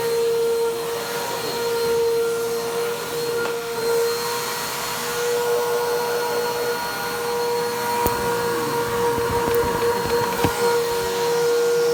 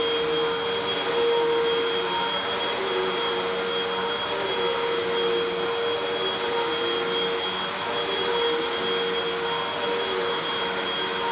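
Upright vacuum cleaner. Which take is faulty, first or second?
first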